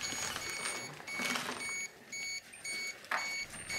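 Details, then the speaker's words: Dosimeter held close to the floor of contaminated clothing in Chernobyl Hospital 126 basement, reading over 1 mSv/h gamma: rapid high-pitched beeps in short irregular bursts; high dose-rate alarm. "so as I bring it more close to the floor or to the close you can see we're getting over one M Power Hour as uniform contamination all over on that CL"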